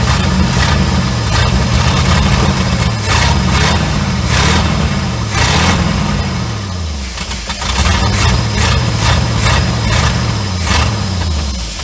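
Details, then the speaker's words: 1972 Chevrolet C30 small-block V8, first start after sitting abandoned 15 years: uneven idle, low drone wavering up and down, from vacuum leaks including the unplugged vacuum advance line. "This, typical small block Chevrolet. You can't hardly kill them. It's running a little rough because, well, we got a vacuum leak there."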